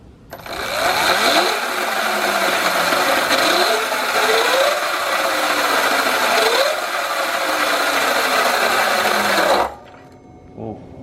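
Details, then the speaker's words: Sur Ron electric bike with Luna Cycle 219 chain kit, after new jackshaft bearings and sprocket re-shimming, loudest under regen braking: harsh metallic grinding over motor whine swelling with speed; worn primary drive sprocket, motor bearing also suspected. "but i definitely think i'm pretty sure that the the noise is coming from the primary drive area"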